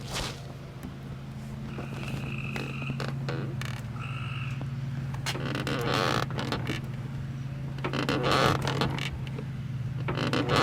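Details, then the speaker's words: 2004 Chevrolet Cavalier front door swung open, microphone down near the door: rubbery plastic-on-plastic creaks and squeaks, not a hinge squeak, from a deformed front fender insulator protruding and catching the door edge. "this is not your normal kind of metal hinge type squeak this is like a rubbery plastic rubbing on plastic kind of squeak"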